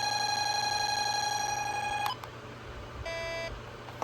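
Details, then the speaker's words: Honeywell 5700 (Radionics D7112) alarm panel keypad: a loud steady high beep, then short chirping bursts as a perimeter zone, tripped by jumpering with a wire, puts area one into alarm; the bell output switches on. "this zone is set to a perimeter zone so now we are in alarm which is cool area one is on alarm"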